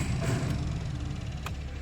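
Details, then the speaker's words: Honda Fit aftermarket blower motor, run through fan speeds to highest: steady low droning hum, louder and rougher than it should be; noise from the motor rubbing, owner plans to pull it back out. "this blow motor is noisy though I got to pull it back out don't you just love aftermarket garbage"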